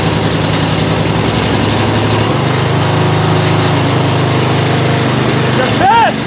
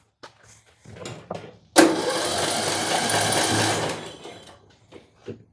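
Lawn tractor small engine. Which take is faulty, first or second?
second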